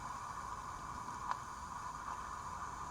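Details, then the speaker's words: Mercedes E320 vacuum-operated central locking that locks only once, with a faint, steady airy hiss and a soft click; a big vacuum leak in the door lock actuator. "a vacuum leak. This whole system is vacuum operated, which is what this line is right here. And so I have a big leak somewhere in the actuator, which is right here."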